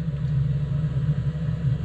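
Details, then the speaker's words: Truck diesel bunk heater after rebuild (new glow plug, screens, new blower motor), restarted and blowing hot air, cover back on: smooth even low rumble, no stutter or surge, sounding much healthier than before. "And it's blowing hot air. And it's sounding a lot healthier than before."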